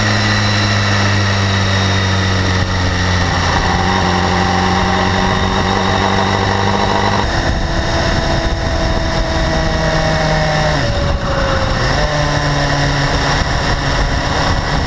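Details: BMW S1000RR, 2012, about 4,500 km: fast, light high-frequency ticking over the idle as revs drift, absent at first and growing steadily louder; owner asks whether valve clearance or interference-pipe exhaust flaps are the cause.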